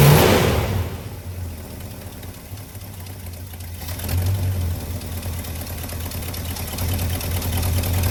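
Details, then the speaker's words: 1985 Chevy C20 V8 after sitting 10+ years, new mechanical fuel pump and inline filter, carburettor just refitted: catches after cranking and settles into a low, slightly lumpy idle that sags; idle speed still set too low, carb needed adjusting. "That's a good sign that I did it right. Nope, still idling low."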